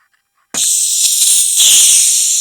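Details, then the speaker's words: Paraffin kerosene blow torch: pumped with all valves tightened, then the valve is opened. Dead quiet, then a sudden steady high hiss of air rushing out. The pump is holding pressure fine. "you can hear the air coming out so that's definitely working"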